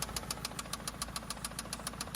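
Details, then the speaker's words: 2004 Toyota Camry that likely sat with no oil before purchase, stranded after failing: sharp, regular metallic knock about five per second over a rough idle; owner suspects a spun rod bearing or a top-end problem, unconfirmed. "Alright guys, so it sounds, it's either a spun rod bearing or else getting loose here."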